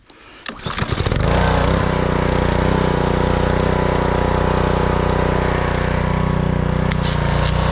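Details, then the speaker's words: Blackmax pressure washer with Honda GCV160 engine, brought in as crank no start, after repair: pulls over, catches within a second and settles into a steady, even drone under pump load with no misses or surging; fully operational. "as you can see the pressure washer is fully operational hopefully we'll have a happy client"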